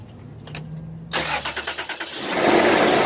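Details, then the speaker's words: 1999 Toyota 4Runner 3.4L V6 after replacing shredded power steering, A/C and alternator serpentine belts; quick cranking, about eight pulses, then catches and settles into an even idle with no squeaks or squeals, a normal start. "brand new belts running smooth as ever no more squeaks no more squeals"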